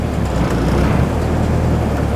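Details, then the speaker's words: 5th-gen Honda Civic EG hatch with swapped-in 6th-gen D-series transmission: low steady engine rumble pulling away, no grinding or clunk; reverse and forward gears engage cleanly after swap. "Reverse works. Forward. Look at that. No grinding whatsoever."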